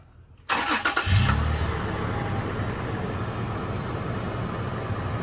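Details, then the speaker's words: 2010+ Toyota FJ Cruiser, first start after replacing the rodent-damaged engine wiring harness: quick crank catches cleanly into a smooth, steady idle with no stumbles or ticks, sounding stronger than before, no check engine light. Normal start and idle. "sounds okay huh sounds good we'll give you some gas man it sounds a lot stronger than um it did before already"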